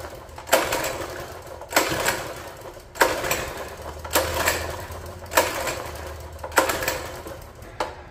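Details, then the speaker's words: Free mini bike, long-sitting, water found inside, pull-started: about six even pulls, each a short rasping spin that dies without catching; cranks but no start, suspected lack of fuel. "she wants to just not getting any fuel in there"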